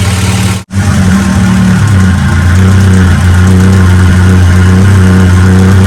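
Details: Acura Integra GSR B18C1 rebuilt with Supertech head gasket and ARP head studs, air-fuel running 11.4 instead of 14: strong, even idle picking up cleanly on throttle blips and settling smoothly, no knocks or misses; healthy engine.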